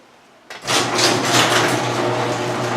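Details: Noisy LiftMaster garage door opener at a townhouse: the motor starts into a loud, rough, steady drone with a constant low hum underneath, running noisier than it should.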